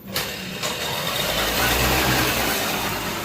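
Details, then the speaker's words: Super XL small two-stroke bike with silencer fully clogged by oil residue/carbon: hardly starts, then runs rough and raspy, struggling to settle, no pickup and stalls; fix is removing and burning out the silencer. Hard starting from clogged silencer. "చూడండి మిత్రులారా, silencer పూర్తిగా మూసుకుపోయింది. Bike start అవ్వడం లేదు. ఒకవేళ start అయినా కూడా, బైక్‌కి అస్సలు pickup లేదు, అది పూర్తిగా ఆగిపోయింది."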